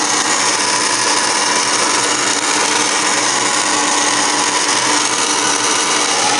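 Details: Furnace on start-up, March 22, 2017: loud steady whirring roar with a gritty edge, no rise or fall; abnormal noise, source unclear.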